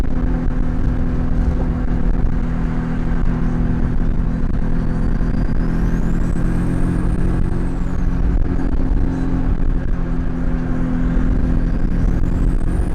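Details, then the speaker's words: Turbo FR-S, GTX3076, CX Racing header, Turbosmart 38mm wastegate, eBay intercooler with shortened piping, in-car hard pull: strong engine roar with rising turbo whistle; overboost about 13 psi (previously 16), wastegate adjusted afterward. "all right so i'm hitting like 13 pounds right now which ain't bad it's a lot better than the 16 i was hitting prior to you know this video but i'm gonna pull over on the little side right here and adjust that real quick because that's crazy"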